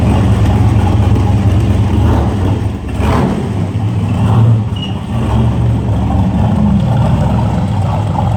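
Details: 1967 Corvette coupe with freshly rebuilt 502 big-block (about 500-507 hp on dyno, tame idle), first drive out of the garage: deep V8 rumble swelling and easing as it pulls away, steady, no knock or stumble; healthy.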